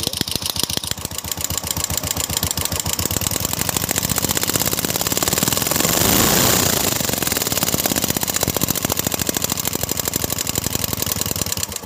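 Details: Royal Enfield Classic 350 single: a sharp metallic tick about four per second, steady with engine speed. The mechanic says such ticks come from the timing gear or valves; the timing gear was checked and ruled out. Source unconfirmed.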